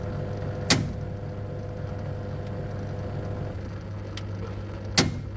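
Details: LG 7 kg top-loading turbo drum washer, drum not spinning while only the pulsator turns: steady motor hum with two sharp clunks seconds apart as the faulty drain motor catches and releases; replacing the drain motor fixed it.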